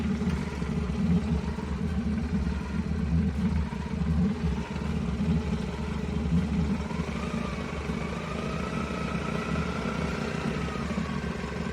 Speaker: customer States my car has a weird idle I don't know about you guys but it sounds like it's not firing on all cylinders to me